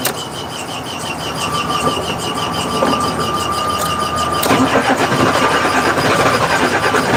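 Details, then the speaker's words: 1986 Ford CF7000 5-ton rollback, Brazil Ford 6.6 L diesel, battery switch on after trouble starting: starter cranks steadily, engine catches about four seconds in and keeps running on the jump; normal crank and start. "Okay, so we got Billie Jean started."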